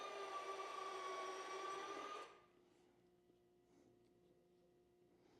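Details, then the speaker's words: CARF Rebel Hot RC jet on the bench, electric retracts cycled gear up and gear down: steady electric motor whine for about two seconds then a clean stop; retracts working normally. "so gears up gear down works good"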